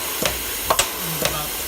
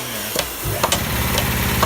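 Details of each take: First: Old double-ended Haskel gas booster after its shuttle valve was cleaned and rebuilt: crisp exhaust pulses about twice a second in an even alternating rhythm, no stalling, cycling smoothly. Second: Old Haskel gas booster after a shuttle valve rebuild, under load: steady hum with a bang then rapid taps repeating about twice a second, the shuttle moving so fast it bounces on one side and chatters.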